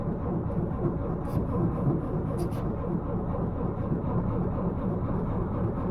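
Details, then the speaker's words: 1931 Ford Model A Coupe, first start after 4-5 years in storage, choke in use, faulty ignition switch, old oil: low, uneven chugging that stumbles instead of settling; rough running, carburettor or fuel suspected. "Well, that's better. Got some work ahead of me here to straighten this out. If it's a carburetor or fuel, let's see what we can do."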